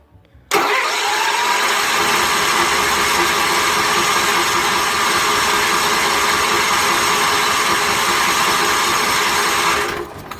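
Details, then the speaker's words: 1981 Case 444 garden tractor cranking steadily for about nine seconds without catching after the fuel pump was pulled and cleaned, refilling the carburetor bowl; bubbles then seen in the fuel line, owner suspects the missing hose clamp. "here's dealt with hose here I'm gonna just crank it over see if anything comes out I'm gonna take it a second to fill the bowl back up but"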